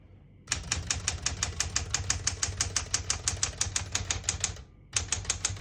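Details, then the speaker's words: 1970 Smith-Corona Classic 10 manual portable typewriter, single line spacing, margins set 0 and 75; brisk uneven key clacking about three strokes a second, a pause, then typing resumes; bell marks end of margin; normal typing. "Once you hear the bell, you're at the end of the margin. You have to slide space, get you back to the beginning."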